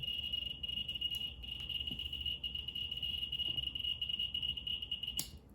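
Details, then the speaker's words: Geiger counter on the 0.1 setting, autunite uranium ore moved close to the probe: clicks so fast they blur into a steady high chirp, nearly maxed out. "So I'm moving the Autunite closer to the probe. Oops. And we're almost maxed out."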